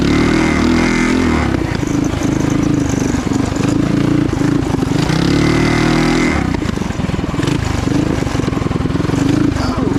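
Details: Trail Master MB200 mini bike, stage 3 223cc single, open exhaust, after metal bushings replaced the rubber engine-cradle bushings: revs and holds an even drone under load, no jerks or chain slap; before, the cradle twisted under power and skipped the chain. Normal.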